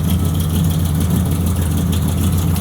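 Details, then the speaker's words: Rusty, butchered pro-street 1970 Dodge Charger/Daytona wing car V8, hood popped, restarted at idle: deep, lumpy rumble with a dull low knock underneath; bottom-end knock, exact cause not pinned down. "hey pop the hood you really can't hear it knock as bad as it knocks from out here it's low it's a rock you can start it one more time"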